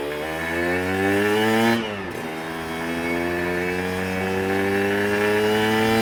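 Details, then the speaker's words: Aprilia RS125 1990s two-stroke on first road ride: revs climb and flare without matching pull, then drop and rise, a "meow"; clutch slipping badly from too little free play. "No, the clutch is slipping really badly, to be fair. You can probably hear it, can't you? It's a meow."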